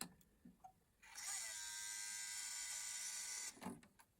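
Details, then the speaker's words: Sony DHC-ZX50 mini system (bought non-working), minidisc deck: thin, high motor whir drags on over two seconds before a few clicks, a weak, sluggish MD eject, like the same problem an MD100 had. "It's a weak eject. So, that does sound like the same problem the other one had, the MD100."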